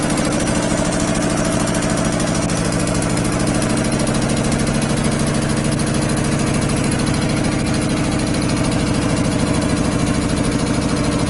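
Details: 25 hp air compressor running on single phase via a 25 kVA transformer, unloading near 145-150 psi and reloading around 115: even, strong pumping thump about three beats a second, steady throughout; normal loaded running.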